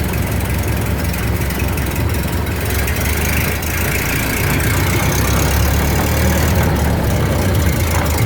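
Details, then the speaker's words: 1929 Model A Ford pickup up on jacks, running in gear: loose, uneven clatter from the running gear. Owner suspects the rear end, possibly a damaged spider gear; the noise was heard even after shutoff. "got this uh 29 model a running and driving however it's making a heck of a racket it's either in the transmission or the with a driveshaft or the rear end one I'm not sure"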